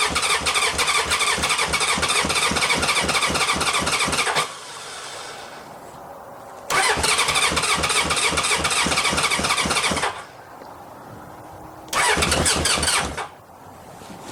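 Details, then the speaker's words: 1981 Honda CB750K, bought as a parts bike, on about 250 ml of fresh gas: three spells of steady starter cranking, about four compression beats a second, never firing; lots of gas leaking out. "doesn't want to start there's a lot of a lot of gas leaking out"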